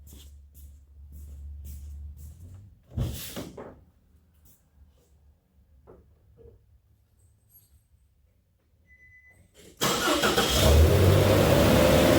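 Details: 2006 Nissan Frontier 2.5 QR25DE, start after head and timing chain repair: quiet at first, then it catches and settles into a steady, even run with no knocking or rattle. "Sounds like a top", so normal running.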